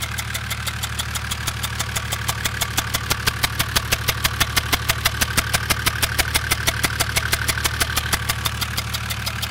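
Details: Mercedes OM606 diesel on a test run: sharp, even valvetrain ticking at idle, traced to the cylinder 3 intake valve, where one intake valve wall is black. A stuck hydraulic lifter is suspected, unconfirmed.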